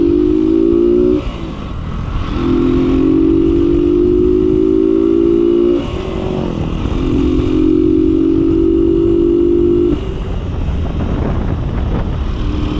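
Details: Kawasaki Boxer 150 on a road test after conversion to a 4-pin CDI, replacing the failed original: engine note climbs and drops cleanly through each gear, no stutter or missed beats under load; runs healthy.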